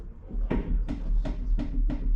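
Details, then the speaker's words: Corsa B front wheel bearing with play, wheel turning before tightening; dull regular knock about three times a second; planned fix is removing bearing cap, tightening and adding grease. "Put the bearing cap off, we'll tighten that up, put a bit more grease in it so we can get it in. Oh, I'll notice the difference when that's tightened up."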